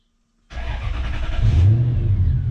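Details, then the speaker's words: Lexus LS400/Celsior 1998–2000 1UZ-FE VVTi V8, first start on Link aftermarket ECU via plug-and-play adaptor: fires first crank, smooth even rev with deep steady note; normal start. "Woo! Just like that. And it is literally that easy. Well, that sounds good too."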